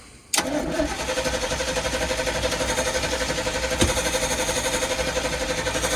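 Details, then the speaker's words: Circa-1983 Sportscoach RV with 454 big block, sat 12 years: steady starter cranking at about four turns a second with no firing or catch; cranks but won't start, plenty of fuel, flooding suspected. "Hang on. Uh, I bet it's flooded. Did you pump that any? Pull that back once. Yeah, it's got plenty of fuel."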